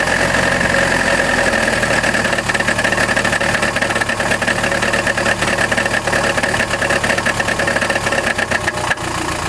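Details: Chrysler Grand Voyager 2.8 CRD diesel at idle: loose metallic rattle chattering with the engine beat, not from accessory belt, power steering or the removed balance shaft; cause found to be a badly cracked flexplate between crankshaft and torque converter in the bell housing.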